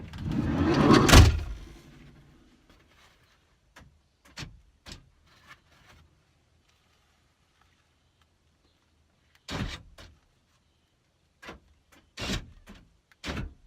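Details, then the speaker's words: 2003 Ford Windstar SEL power sliding door after replacing the whole lock mechanism: one door thump, then crisp latch clicks from the lock actuator with no grinding: normal power sliding door lock operation. "all right so there we go mrs. s can have a minivan back and a functioning no more grinding"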